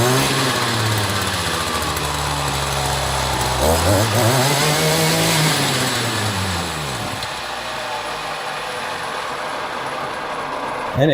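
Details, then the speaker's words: Echo GT-200i string trimmer with an aftermarket carburetor, choke off: the engine buzzes at a wavering speed that sags and surges, then winds down and stalls on its own; the owner suspects the aftermarket carb and tries adjusting its internal jet. "just conked right out. Interesting. Try that again."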